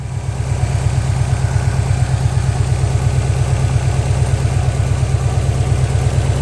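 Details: 2003 Subaru Impreza WRX NB (GDA), EJ205, 5MT, 148,345 km, running: steady heavy low pulsing with a rough rattle, noise continuing after shutdown; the turbo has failed, with shredded compressor blades, axial play and coolant and oil on the exhaust side.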